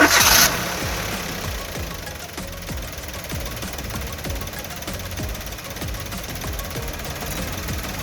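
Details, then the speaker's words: Three-cylinder petrol car idling steadily and evenly with all 3 cylinders working, recorded as a baseline before a spark plug wire is disconnected; normal idle. "അതിനു മുമ്പായിട്ട് ഞാൻ വാഹനം ഒന്ന് start ചെയ്തിട്ട് നിലവിലെ ഈ 3 സിലിണ്ടറും working ആണെങ്കിൽ വാഹനത്തിന്റെ ആ ഒരു ഒച്ചയും ബഹളവും ഒന്ന് കാണിച്ചു തരാം."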